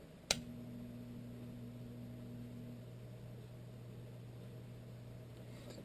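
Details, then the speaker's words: Whitfield pellet stove auger gearmotor (1 RPM gearbox), stove electronics disconnected, motor powered directly via test switch lead: quiet even low hum, no grinding or clicking; auger slowly turning smoothly. "it's hard to hear because it's actually running nice and quiet"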